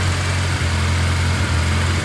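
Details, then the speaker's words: Turbocharged Honda K24-swapped BMW E36 after head gasket repair, coolant being topped up, turbo spooling; low steady idle with an even beat, no misses or knocks, running smoothly and healthy. "See if the turbo's turboing. Yep. Turboing. Going good."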